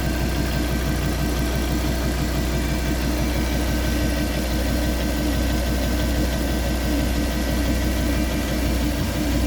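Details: Fiat Coupé 20V Turbo: steady idle with an uneven, loose pulsing underneath at about ninety beats a minute; abnormal engine noise at idle, cause unclear.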